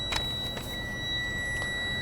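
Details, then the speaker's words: Tractor-trailer air brake inspection at a weigh station: brakes are pumped to bring air pressure down, and a steady high buzz holds evenly, showing the low air pressure warning buzzer is activating properly. "okay that's good now Arlo we're like this now come on lower your buzzers now activated"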